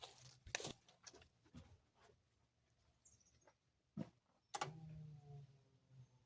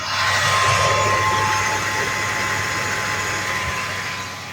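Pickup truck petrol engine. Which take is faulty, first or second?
first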